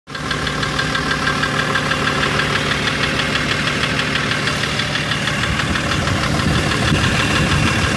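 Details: BMW M57 3.0 diesel idling with a sharp knock about twice a second over the clatter, appearing right after injectors were removed (three seized, one replaced, one adjusted, wells reamed); drives normally, slight black puff at full throttle; cause unknown.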